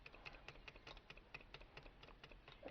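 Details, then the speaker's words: 2002 Lexus RX300 3.0 VVT with code P1349 and bank 1 misfires; the bench-heated oil control valve solenoid clicks lightly but stops actuating its pin above about 160°, sticking at operating temperature; fixed by replacing the valve. "now it's talking to me I hear it clicking inside the Sol ano but it just ain't actuating a pin when it's hot"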